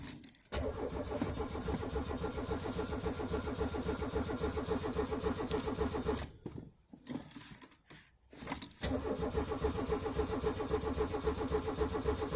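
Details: Peugeot 205, cold start at about 2°C at night: engine runs briefly, dies around six seconds, then cranks and catches again and settles into a rough idle; hard cold starting.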